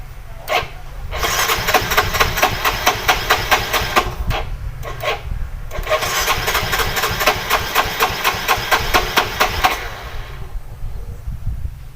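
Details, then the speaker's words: Yamaha Soul GT (Mio J/M3-type) fuel-injected scooter, owner complaint hard starting; battery charged/jumped, ignition on. Starter whirs in steady rapid pulses, about two a second, for long stretches but engine never catches; weak fuel pump starving it. Ignition checked next. "oke mas bro disaat kita ces dan hidupkan tetap tidak mau hidup maka untuk pengecekan selanjutnya kita cek pengapian"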